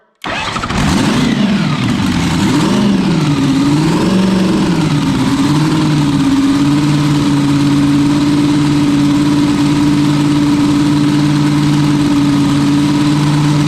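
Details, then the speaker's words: Small-block Chevy V8 on a 400 main block, after fuel issues resolved by leaning the mixture: fires up, crisp sharp rev swings, then a steady even high idle, sounding more aggressive. Normal running and revving. "Sounded more gooder. Bit angry. Noticeably different."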